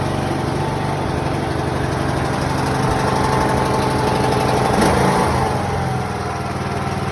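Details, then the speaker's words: Small tractor mower, suspected dead battery, jump-started after refuel and choked: single cylinder catches and settles into steady, even chug with slight dip in speed near end; runs normally once started. "Let's see if it'll fire it up. Oh. Fired up, bud. Oh, crap. Choking it, that's why."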